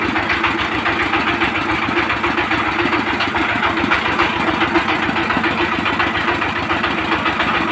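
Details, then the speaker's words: Steady idle thumping about 210 times a minute with a hard tap each beat from a 20 hp single-cylinder diesel power tiller engine; drum-like knock and missing from rocker valve clearance out of adjustment. "তো আপনারা এই সাউন্ডটা তো শুনলেন ইঞ্জিনটার সাউন্ডটা একটু problem আছে মানে একটা ধাক্কা মারছে অরিজিনালি মিসফায়ার আসছে একটা ছোট আর একটা সাউন্ড একটা অন্যরকম আসছে"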